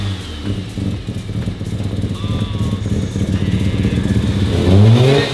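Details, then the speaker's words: Mazda RX7 rotary, first start after sitting abandoned, just brought back to running: fast, even idle burble, then pitch climbs smoothly as it revs, pulling cleanly with no knocks or misses; sounds good. "It looks and sounds so good. Oh, that's awesome."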